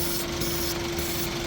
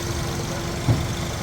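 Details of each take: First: 2013 Suzuki Swift (Pakistani-market) with code P0134, engine running: a constant hiss with a thin tone underneath, an intake air leak at the PCV valve area. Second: 2013 Suzuki Swift with code P0134 oxygen sensor after replacing leaking vacuum cap and EVAP valve: steady, even idle, RPM now stable, previously dropping; normal idle after air leak fix.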